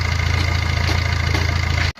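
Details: Maruti Ertiga after timing chain kit replacement, started before fitting water pump and tensioner; water pump had also failed. Low, even idle hum with no rattle or ticking before shutoff. Normal idle; earlier timing chain noise is gone.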